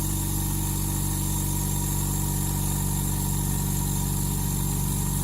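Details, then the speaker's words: Lakoni Basic 9S oilless air compressor with the intake filter fitted, running: steady, even motor drone with a smooth fast pulse and no knocks or rattles; it runs quietly and smoothly. It has automatic thermal cut-out. "Ya, suaranya halus."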